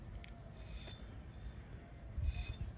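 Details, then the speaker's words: Worn wheel bearing from a Nissan Rogue with a long-running loud humming, removed and spun by hand: dull rumble with gritty, scratchy rasps. A new bearing is nearly silent. Rough worn wheel bearing. "this is what it sounds the old bearing sounds like"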